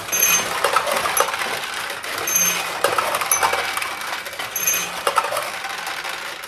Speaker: That noise you just heard is more balls from the hopper going into the middle hopper. In other words, the machine said, hey, I need some more balls for the middle hopper.